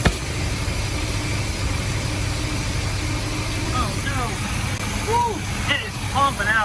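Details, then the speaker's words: 1976 Chevrolet G10 van with a V8, sat 20 years, running on a temporary gas tank and pumping out old gas, water pump belt not working: steady, even low rumble at idle with no knocks or misses. Normal idle. "Boy, it's running really good. This has been sitting for so long."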